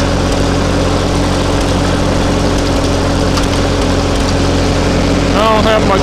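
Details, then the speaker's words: Ferguson TO-20 tractor with a 12 V conversion, idling after a replacement alternator was fitted and is now charging. Steady, even low putter with no knocks, misses or rattles; the engine sounds healthy and idles better than ever. "But it's working, charging, and it sounds like it's idling better than ever now with this. So, that's a win."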